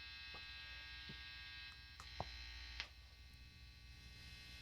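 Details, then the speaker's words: Fender Player II Modified Stratocaster being rewired, with distortion on: steady low mains hum from the bridge single-coil pickup, plus slight static; neck pickup also hums while the middle is quieter. "I think we're just getting a little bit of some static in the air or something like that. Oh, yeah, and there's the hum from the neck."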